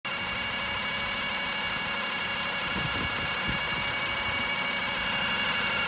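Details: BMW E60 N52 petrol engine warm idle: hissy metallic whir, uneven ~3 beats/s, loudest at oil filter housing, absent cold, louder when warm; not pulleys or alternator; fresh flush oil, old filter; cause unidentified.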